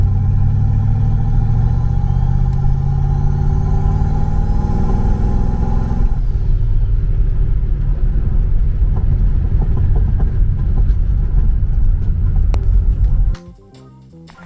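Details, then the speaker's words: Car started cold in South Carolina, misfire that did not improve once warm and popping out the tailpipe under boost: low idle swells and sags unevenly with occasional skips, surging more than normal before shutting off; misfire with surging idle, cause unknown. "It's kind of surgy at idle too, more than it normally is."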